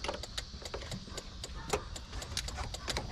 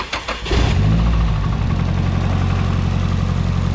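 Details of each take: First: Nissan 240sx S13 after SR20DET swap, engine off: sharp quick ticking about six clicks a second as injectors keep firing after shutdown; engine had been running rich, igniter swap suspected. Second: Nissan 240SX S13 after a swap from the KA24DE to an SR20DET. Engine cranks, catches within a second, then settles into a steady, even idle with no stumble. Runs normally and sounds much better.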